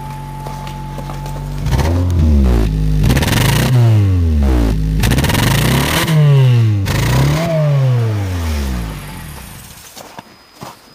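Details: 2007 Honda Fit, 200,000 miles, hesitation at 60 mph; after swapping in coil number two with dielectric grease, rough uneven beat through throttle blips, revs rising and falling unsteadily; same misfire, coil swaps not fixing it.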